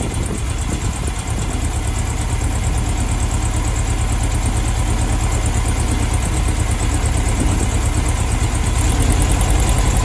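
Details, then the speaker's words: 1972 VW Beetle 1200 warming up after its first start in two years: a loud, uneven, stumbling idle with a backfire. Cylinder two is misfiring, probably from a mangled spark plug; new plugs and a service are planned. "that's better so cylinder two this one's not firing properly what's the backfire so yeah cylinder two is not working i'm not firing properly"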